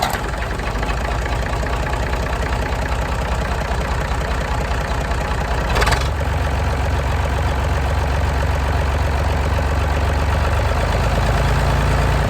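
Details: Massey Ferguson 135 diesel tractor started to check dynamo voltage with a multimeter before working on the regulator box: steady, even idle with a low, regular beat and no scraping, squeal or knock; sounds healthy, not getting hot.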